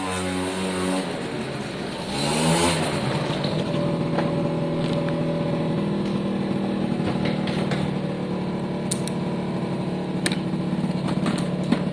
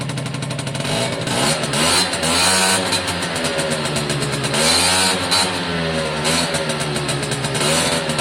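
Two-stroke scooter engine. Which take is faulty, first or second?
first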